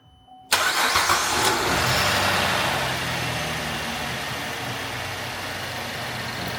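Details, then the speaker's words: 2010 GMC Terrain 3.0 V6 after alternator and belt tensioner replacement: quick crank, catches cleanly, settles into even smooth idle, no rattles or knocks, no warning lights; normal start and idle. "don't hear any rattling or knocking or nothing came and exploded in my face, so I think that's a good start."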